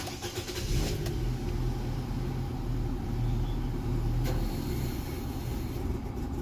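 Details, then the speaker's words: Petrol car engine with a replacement short block and original external parts, plugs and coils already replaced: low, uneven, shaking idle with no power, struggling and stalling at idle. "เครื่องไม่มีกำลังนะครับแล้วก็จะเบาดับไปเลยนะครับ"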